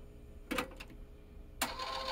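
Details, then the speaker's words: Yamaha KX-630 three-head cassette deck after servicing, fast-wind using a separate motor from play: two clattering clicks, then gritty crunching rustle with faint steady tone as the spool winds; fast forward/rewind crunching, play works fine. "you can hear it yeah yeah it's crunching"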